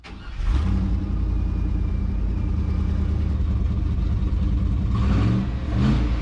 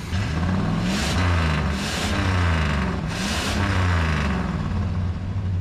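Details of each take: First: 1976 GMC Sierra V8, abandoned and long sitting: catches and settles into an uneven, lumpy idle with occasional stumbles and surges; rough idle, cause unclear. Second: 1976 GMC Sierra Classic V8 with carburetor, sat abandoned, warm with oil pressure: deep rumble rising and falling cleanly through several throttle blips, no knocks or misses; normal revving.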